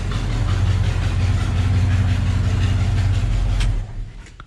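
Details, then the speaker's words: 1972 Ford F-250 Sport Custom camper special, 390 FE V8 with C6 automatic, at idle: loud rumble with fast, uneven ticking; bad exhaust manifold leak at the rear end of the manifold, pointing at the alternator. "it has an exhaust manifold leak and a very bad one at that it's leaking right right there at the end pointing right at the alternator"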